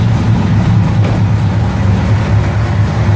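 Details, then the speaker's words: 1969 Ford Mustang V8 with an aftermarket fuel injection unit, started in neutral. It starts easily without hesitation into a deep, steady, even idle rumble with no misses. "it doesn't hesitate at all it means they started"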